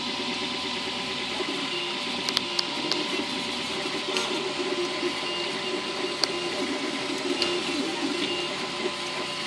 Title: Flashforge ticking noises